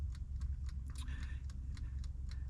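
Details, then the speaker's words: Camper van cooking appliance with wind-up timer on a power unit drained flat: steady clock-like ticking about four a second with no hum; only the timer runs, heating element dead from lack of power. "you hear that ticking it's just the timer the heating element doesn't work because the power's dead"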